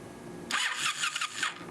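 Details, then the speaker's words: 2007 Ninja 250 with charged dead battery and gas in tank, fuel not flowing through the vacuum-pulse petcock: brief starter whir of about a second and the engine never fires. It cranks but won't start; owner suspects a clogged petcock. "The battery was dead, so we gotta charge it. Motor turns over."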